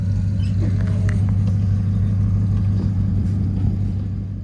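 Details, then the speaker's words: Ford LTD/Fairlane V8 after a DIY muffler replacement, idling: deep, steady, even burble with no rasp or leak, a little hollow until the new muffler carbons up; normal exhaust note. "Muffler sounds really good for now. Obviously, new mufflers do take a little while to sort of wear in. They need to carbon up and they will sort of deepen out."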